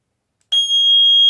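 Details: Power-up tone of a voice-equipped carbon monoxide alarm with battery backup and 10-year life: a single steady high-pitched electronic tone about a second long, clean and even, the normal power-up chirp.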